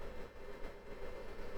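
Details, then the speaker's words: Fnirsi IPS 3608 bench power supply cooling fan running at about 35°C, with the mic close to the fan: soft, steady whir with no rattle; not terribly noisy, and it shuts off near 22°C; normal cooling fan. "The fan itself, you can probably hear it. It's not terribly noisy."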